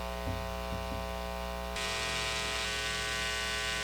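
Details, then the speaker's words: Guitar amp with steady mains hum and buzzy edge, turning brighter and louder midway; normal noise from single-coil pickups, naturally noisier than humbuckers. "the first noise is just the normal noise that comes out of single coils they're just naturally noisier than humbucke"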